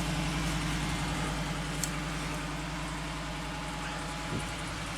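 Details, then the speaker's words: Wrecked 2015 Ford F-150 4WD with 60,000 miles and rear-end damage, started after a battery charge: smooth, even idle with a low rumble, no ticking or rattle; the engine sounds healthy. "he's peeking see if you're the crank go ahead oh yeah sounds good no rattle 60,000 mile truck"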